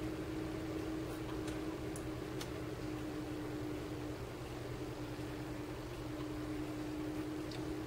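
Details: Cooling fan in a 12 V 30 A DC power supply whose stock fan was very loud: a low, soft, even whir with a faint steady hum and no rattle or buzz; the fan runs smooth and quiet.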